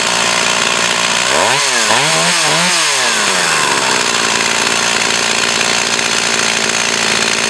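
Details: Echo CS 4500 chainsaw after carb rebuild and slight high-speed needle adjustment, possibly stored for years: it revs up and down a few times, then holds a steady high-pitched scream, crisp and clean with no bogging; it runs normally.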